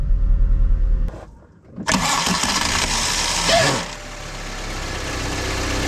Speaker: el siguiente sonido proviene de la marcha es una arrastre entre el volante de Inercia y el bendix de la marcha se escucha de esta